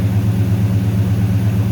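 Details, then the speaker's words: 1970 Dodge Coronet with swapped 6.1 Hemi at first start after a fix, air-fuel ratio rising from 11.3 to about 13.6–13.8, charging 14 volts: even, steady idle around 1,000 rpm, slightly high but running clean. "idle's a little high we're at 10 for"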